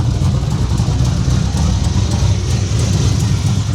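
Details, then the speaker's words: Turbo single-cab truck with Holley digital dash, idling after the dash wiring fix, mic carried about 20 ft behind the camera: steady deep rumble, even pulse, soft intake rush, no ticks or misses; healthy idle. "Thing sounds amazing. Idling, doing its thing."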